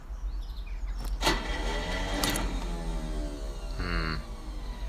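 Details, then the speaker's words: Landini Legend tractor: quick whirring bursts rising and falling in pitch with no cranking beat and no engine catching; the starter motor spins freely without its pinion/bendix engaging the flywheel. "hey so this is my Landini Legend and you can hear obviously I have a starter motor problem so if you've had the same problem maybe you know how to fix it"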